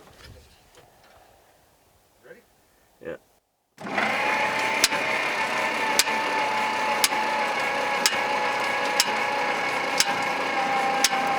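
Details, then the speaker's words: 1960 Bombardier J5 not run in 20 years, cranked via boost from loader direct to starter: steady whirring crank with a sharp loud knock about once a second, seemingly from the back; something hitting inside, cause unknown, later quieter as something loosened up. "okay stop that is not a good sound or something i don't know that's really [Applause] loud"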